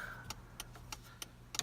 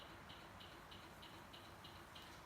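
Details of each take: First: 1989 Toyota 4x4 pickup with LED blinkers, after replacing the flasher relay: crisp relay ticks at an even, unhurried pace of about three per second over a quiet idle. The hyper flashing is fixed and the turn signal flashes at normal rate. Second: 1989 Toyota pickup 4x4 after switching to LED blinkers: sharp, even flasher relay ticks about three per second, too fast; the LEDs draw too little current, so the stock relay hyper-flashes; fix is a new flasher relay.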